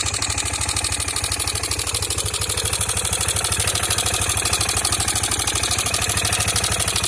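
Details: Worn-sounding 2003 KTM Duke II single-cylinder (HighFlow) at idle: steady thumping with a loud metallic top-end clatter on every beat, louder than normal engine noise. Owner fears engine damage; cause unknown.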